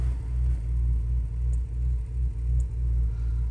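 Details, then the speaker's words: 2006 Bentley Continental with check engine, ABS, traction and suspension warnings, sometimes running rough, at idle: low rumble surging and dipping about every half second, engine shaking slightly; rough idle. "I can feel it shaking a little bit so the drivability I'm sure is going to come back"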